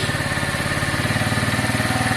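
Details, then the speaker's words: Piaggio Fly 125 scooter, warming up after the air-fuel screw was set from 1.5 to 2.5 turns out, choke off: a steady, even putter at fast idle with regular firing pulses and no stumbles; a normal idle. "uh it seems okay now uh it's idling much better"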